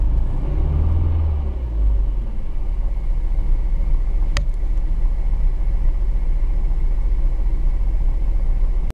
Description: Engine misfire, can you tell what is wrong?